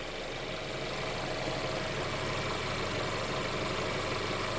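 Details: Mercedes CLA petrol engine idling after a DIY oil change with Mobil 1 0W-40 and an OEM Mercedes filter. Smooth, even idle with a light steady ticking and no roughness or misses. No leaks were found; a healthy idle.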